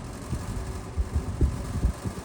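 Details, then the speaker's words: Vintage box fan on low: low fan hum with loose, uneven knocks and creaks as the grille moves on flexing side supports; grille flex rattle. "It's really that grill that's moving around. It's like there's flex in the supports on the side of the grill."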